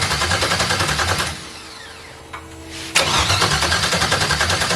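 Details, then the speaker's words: Audi TT MK1 with LS swap from a 2001 Chevrolet Suburban on a standalone harness, first start attempt, no ECU communication: fast even cranking around three to four beats a second, pause, more cranking, never fires; ignition feed not hooked up. "noises all right diagnosis time I guess one eternity later I forgot to hook up the ignition"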